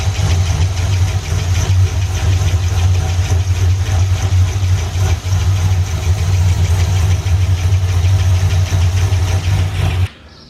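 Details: C6 Corvette V8 at idle with a light, quick top-end tick, about three a second; owner suspected rocker, lifter or pushrod, but valve train inspection found nothing and the noise may come from the intake manifold. Cause unconfirmed.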